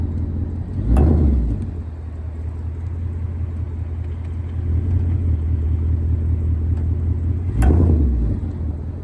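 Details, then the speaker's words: 2024 Ford Mustang GT at about 3k miles: a click or dull clunk from the right rear on load reversal between reverse and drive, growing louder and now repeatable; owner suspects an axle or wheel bearing, source unconfirmed. "if I'm in Reverse I back up a little bit it's like I load up power I'll hear a click I put it back into drive apply power load it up I'll hear a click again"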